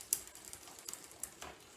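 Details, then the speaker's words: Rusty free Barracuda dual-suspension trail bike, after clearing mud from the rear gears. Light, irregular metallic clicking as the chain shifts across the rear sprockets while pedaling; it still shifts through the gears. "I'm gonna start shifting on the back first of all so let's go clicking a bit but it's still going for this"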